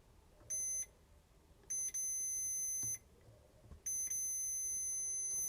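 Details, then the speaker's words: NiteCore New14 Intellicharger repair, diode-mode checks from AC side through the bridge rectifier: multimeter continuity beeps steadily on each probe; bridge rectifier shorted. "Now definitely that bridge rectifier is gone because I'm measuring from the AC side through."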